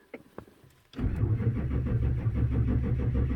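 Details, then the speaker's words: 2004 Chevrolet Silverado 2500HD 6.6 Duramax: slow, even cranking with no firing, fuel rail pressure only 1.4 MPa; cranks no start, fuel system lost prime from a leak in the suction line between tank and engine. "we got an engine rpm not very fast but we got no fuel pressure as you can see here actual fuel rail pressure 1.4 megapascal so i wonder if this thing has lost its prime"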